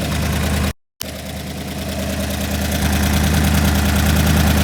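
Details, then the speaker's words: Engine's first start after repair, coil pack and cam sync not yet tightened: steady, even low idle thrum firming up slightly; running smooth, though idle air-fuel reads about 11.1:1, driver's side rich yet smoother; normal idle. "So it's running good again, although for some reason the idle says it's 11:10 to 1. What's interesting is that the driver's side seems to run smoother, but anyways, I got this thing going again, and so far so good."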